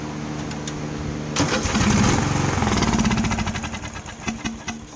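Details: 16 hp Craftsman lawn tractor, a dusty barn find, with 2-cycle gas poured in to test for spark: it cranks, catches and runs for a few seconds, then dies. Spark is present; fuel delivery and the carburetor are suspect.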